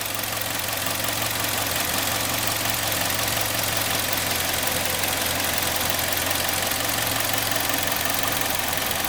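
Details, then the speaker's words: 2012 Kia Sportage 3, G4KD engine, 76,000 km, after overhaul for scored cylinders, warmed up, no leaks underneath, ECU tuned to Euro-2: steady even idle with bright busy top end, no misses or surges; normal warm idle. "все посмотрели послушный ученик еще в принципе все прогрелась все переработалась"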